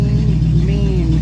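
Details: Open-exhaust 350 V8 with no exhaust fitted, pedal barely pressed, being moved to the lift after a partial rear brake bleed. Loud, raw low rumble with a brief light rise in pitch, firing smooth and even; sounds healthy.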